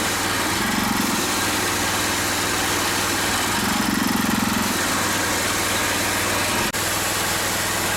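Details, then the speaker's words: Pressure washer with undersized 2.5 tip, engine a little under half throttle, unloader valve at max: steady engine drone under loud spray hiss with slow surge every few seconds; pressure spikes to 4,200 psi. "And this is the 2.5 tip, and it's at a little less than half throttle. And I still have the unloader set at max. As you can see, it spikes at 4,200."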